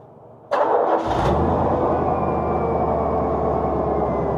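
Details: VW engine, starting: starter whirs, then the engine catches and settles into a steady, slightly uneven idle; it runs but not cleanly. Owner suspects the oil; starter ruled out.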